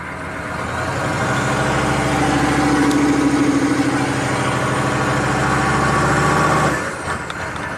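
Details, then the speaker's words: Chevy 6.5 turbo diesel truck with suspected PCM over-fueling and high rpm: put in gear with a touch of throttle it runs shaky and lumpy, pulsing about three times a second; rough running under load. "let's put it in [Applause] gear a little shaky give it a a little bit of"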